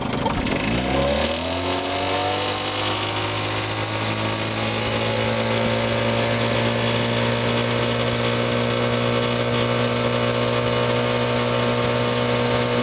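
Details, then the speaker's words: 1957 Sea King 5hp outboard built by Gale/Evinrude, after a tune-up, new fuel pump and new water pump: it starts and settles into a steady, even, quiet hum with a slight rattle. Normal running. "Cows have got a little rattle in them, but it's a very quiet and smooth running motor."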